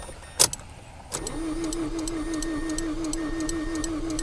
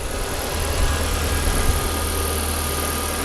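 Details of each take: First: 2005 Mazda6 2.3 junkyard car after codes cleared and fuel pump primed: starter cranks evenly with steady compression beats for about six seconds but never fires; injectors get no fuel because their fuse is blown. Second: 2005 Mazda6 2.3 junkyard car, formerly no-crank no-start, idling after fuse replacement (owner suspects a bad ground blew fuses): low, steady idle with an even beat and no knocks or ticks; quiet and smooth.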